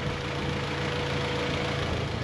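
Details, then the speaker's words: Honda Civic with G23 VTEC swap, warm after a drive: steady idle with even radiator fan rush on top; engine and previously non-working fan both running normally. Normal idle with radiator fan running. "Hey, yeah, look at that. The fan is kicking."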